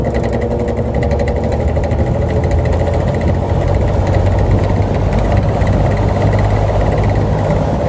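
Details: 1950s GE diffuser-grille box fan, blade rebalanced, previously tampered with (hole drilled): loud steady low hum and rumble with buzzy edge; bearing has play, motor extremely loud, needs full teardown. Worn motor bearing.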